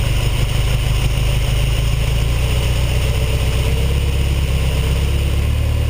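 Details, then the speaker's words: Ferrari 308 GTS after carburetor swap and side-to-side linkage sync: fast, even burble at about 1500 rpm idle, smooth low drone, no misses; carburetors balanced, healthy idle. "That's about perfect about 1500 RPM."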